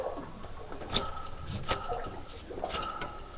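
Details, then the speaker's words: Hand-spun accessory drive pulley on a roughly 10-year-old, nearly 11,000-hour John Deere 6068AFM75 266 hp marine diesel: light smooth whir with handling clicks and no gritty rumble, healthy bearing. "I'm listening for a rumble from from bearings that are showing excessive wear and so this this sounds relatively good this sounds excellent"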